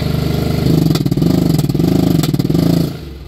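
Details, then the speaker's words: 1999 Polaris Ranger 500 6x6 driving forward, single-cylinder: fine at light throttle, but at wide open it surges, pops, bogs and backfires; spark plug dry; diagnosed as a worn camshaft lobe. "light throttle is good light throttle is good here's wide open so there you see it light throttle is good wide open's horrible"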